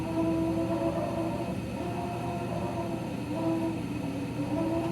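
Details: RayPack 106A spa heater running: steady near-constant whine over a low hum, possibly a fan motor. Whining noise, cause unconfirmed.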